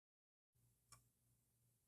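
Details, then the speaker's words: PC floppy drive writing an 800k Macintosh disk via Greaseweazle on double-density disk: quiet steady spindle hum with a few crisp head-step ticks; noise comes from the disk shutter and hub, drive writing normally. "By the way, that noise is only happening because of the shutter and the hub on here. If I pinch those, you'll notice it's totally silent."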